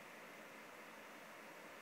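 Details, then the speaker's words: MacBook Air fan heard from close by at about 36-40% CPU usage: constant airy whoosh with steady pitch, fan spinning loud under only moderate load. "did you hear the fan noise is so loud okay right now it's like um not very far away just like this far away to hear the fan noise it's pretty loud"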